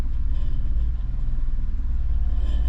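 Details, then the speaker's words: 2nd-gen Honda CR-V: the check engine light returns at start with P0135 (sensor 1 heater), and the idle is a deep, slow, slightly uneven rumble sitting a bit low. "Alright, well, check engine light popped back on as soon as I started the car. Idle is definitely a little low."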